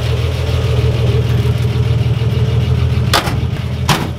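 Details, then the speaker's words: 1955 Ford Pop with re-jetted Holley carb: deep, steady, even idle with a couple of handling knocks, picks up when revved; normal idle. "it sounds nice at idle doesn't it i mean revving it sounds like it's picking up as if you wanted to"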